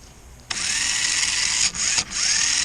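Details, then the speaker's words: 1994 Lionel RS3 Happy Holidays (6-18837) motor after cleaning and reassembly, no extra lubrication, run upside down on an old 9-volt battery, reverse direction: bright steady whine with two brief dips, no scraping or stutter; pretty good power, running well. "Yeah, it's pretty good power. So now this one's running so good."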